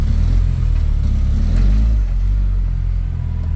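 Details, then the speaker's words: 1989 Volvo GL wagon, non-turbo B230 red block, driven at full throttle with no oil pressure: deep, lumpy, quieter rumble with no clear knock left after a connecting rod broke through the block; then smoke and no restart. "oh oh oh oh oh oh oh there's engine parts flying oh my God oh my God guys engine parts are flying everywhere oh my God engine parts have exited the chat oh it's it's a lot quieter now"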